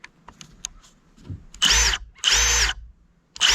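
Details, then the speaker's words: Hyper Tough impact driver, the cheapest sold at Walmart, with no settings and a small motor, no-load sound comparison against a Milwaukee: two half-second bursts and a third starting, each a high even whir with no hammering, healthy. "Let's do a quick sound comparison. And this is the Hyper Tough. Here, let's just do that. Let's listen to Milwaukee now."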